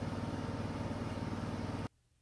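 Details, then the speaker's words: Like-new Samsung front-load washer at its top spin speed at the end of a quick wash: a low, even, very quiet hum with virtually no vibration and no drum thumping or rattling, then it cuts off; balanced, normal high-speed spin. "okay this is as fast as it goes it is spinning extremely fast there's virtually no vibration it's very quiet if you across the room you probably wouldn't even realize it was on the spin cycle but that's its top speed right there"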